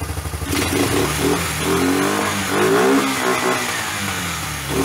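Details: Old Kawasaki four-wheeler single-cylinder after rebuilt top end, run on a car battery via jumper cables to fix weak ignition: catches quickly and blips cleanly up and down without misses; running fine.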